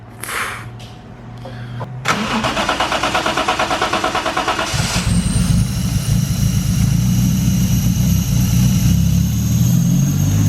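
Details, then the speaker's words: Restored drift car: starter cranks briefly, engine catches cleanly into a steady, even idle with no knocks or misses; sounds healthy, though the idle air control valve whistles. "Boy. This sounds so healthy."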